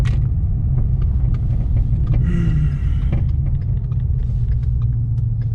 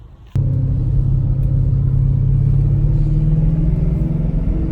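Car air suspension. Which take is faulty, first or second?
first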